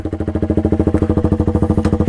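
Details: KTM RC125 with Danmoto XG-1 exhaust fitted without baffles, recorded on GoPro: very loud, sharp popping idle at about twelve even pulses a second with hard bark; essentially straight-piped, dB killers ordered.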